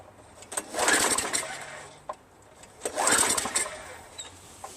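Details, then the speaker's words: Craftsman Eager 1 22" self-propelled mower, Tecumseh 5.5HP engine, after fitting carburetor rebuilt from five parts carburetors, before adding gas: two short pull-cord cranking bursts, spins but never fires; cranking no-start with no fuel, spark later confirmed. "You know, before I put gas in it, I'm just going to try something. Let's see if it starts."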